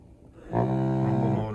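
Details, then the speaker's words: Arcade1up Ridge Racer after a custom encoder board swap, vibration triggered from a gamepad tester: a steady, even buzz for about a second with no rattle or stutter; the rumble motor works normally. "one more test to do and that is to test the rumble on Gamepad tester you can hit vibration and when you do you will hear the rumble you can't see anything but you can hear it"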